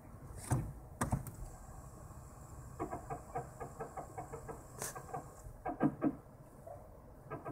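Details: Toyota Prius (second generation): rhythmic brake creaking ticks about three per second over a quiet background; cause not pinned down.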